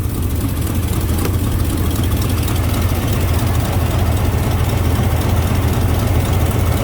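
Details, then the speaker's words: GMC pickup with old TBI 350 (possibly 305), severely overheated until seized, now missing badly and smoking, radiator cap with no pressure: deep, rough, uneven idle; blown head gasket, engine to be replaced. "yeah that's not morning dew surprising that that's that's head gasket"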